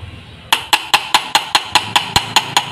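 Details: Tap test on a quality steering bearing cone/shaft for a Yamaha Vixion/R15: about eleven sharp metallic taps, about five a second, each ringing clear and bright with no dull thud, pointing to a hard shaft.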